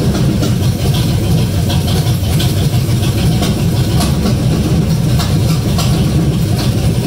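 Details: 1977 Chevrolet Blazer, SBC 350 V8, not started in 10 years, now idling after the backwards (180° out) plug wires were corrected and timing checked; a steady, even low rumble with no misfire or knock.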